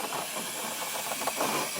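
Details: 2008 Chevrolet Colorado 3.7 with code P0442, EVAP system pressurized by a smoke machine, heard from under the raised truck: steady airy hiss. Small EVAP leak found on top of the gas tank, where a part is rotted out.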